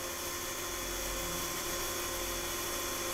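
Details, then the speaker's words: Rotary dynamotor converting 12 V DC to about 180 V DC, running unloaded: steady, even high-pitched whir over a constant hum, no crackle or sparking; normal running. "वहां आप देख सकते हैं गुनगुनाहट सुनने से बेहतर है। यह वही शोर है जो यह पैदा करता है।"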